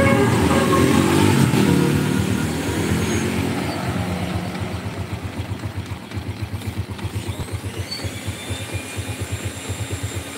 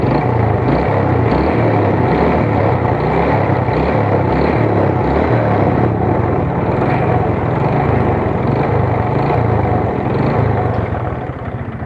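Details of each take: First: Yamaha Vega R motorcycle with a power complaint, engine just reassembled after inspection, before test drive: even single-cylinder putter about four beats a second, steady after an initial rev. Normal running. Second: Yamaha Vega R motorcycle small single lacking power, rough engine and lag off throttle: steady light tapping about four times a second, quickening with revs; mechanic says it is a worn connecting rod knock that does not change in character.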